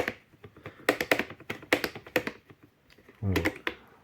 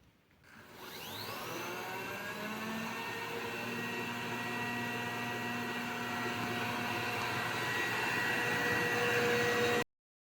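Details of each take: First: Robot vacuum with a non-original replacement side brush: irregular dry clicks and taps as the brush turns, rattling with play in its square socket; fixed by shimming with a square of plastic card. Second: Robot vacuum, whose noise came from a non-original brush, after fitting a plastic-card shim in the brush holder spins up and settles into a smooth, even whir with no rattling or clicking.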